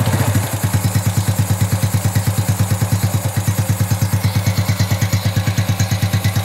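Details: Honda Wave 110i single-cylinder after reassembling and adjusting the cam chain (timing chain) set: steady even idle thumping about three beats a second, no rattle or tapping; cam chain quiet and healthy.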